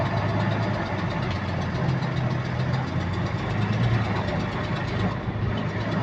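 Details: GAL WVL358 diesel bus on route 486: engine rumbles with a light, regular clicking that keeps time with engine speed.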